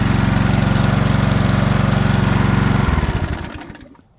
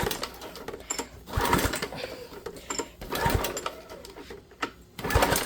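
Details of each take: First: Flathead Briggs and Stratton small engine after carburetor replacement, fueled with 91-octane ethanol-free gas: fires on the first pull, pops along evenly at steady speed about three seconds, then coasts down and stops; normal running. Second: Small engine in spring: repeated recoil pulls spin briefly about every two seconds with no firing; fuel and oil checked, but a rusted carburetor keeps fuel from getting through, so it won't start.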